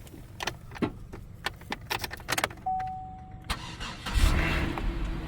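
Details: Buick at salvage auction with light damage, thought to need a jump. A few clicks and a short chime, then the engine catches at once and settles into a steady idle; it starts fine without a jump.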